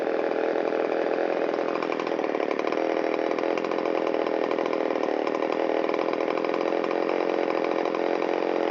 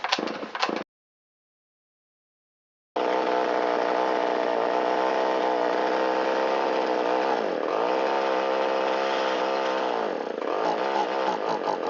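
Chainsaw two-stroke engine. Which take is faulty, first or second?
second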